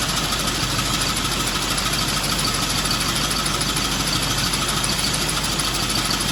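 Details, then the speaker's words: John Deere sickle mower after repairs (old wear plates reused), on a Ford tractor with PTO engaged: steady tractor run with a fast, even cutter-bar clatter, no knocks or grinding; mower working normally. "So we'll start it up here. We'll turn the PTO on and we'll show you the sickle."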